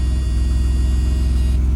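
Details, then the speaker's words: 1989 Mercedes-Benz 190E with 353,000 miles, first startup after the fuel pump relay was shorted and high-mileage oil stabilizer added, rarely driven: starts right up into a deep, steady idle rumble with no knocks or ticks. Normal idle. "Started right on up. Don't sound too bad for how many miles? 353,000? Sheesh."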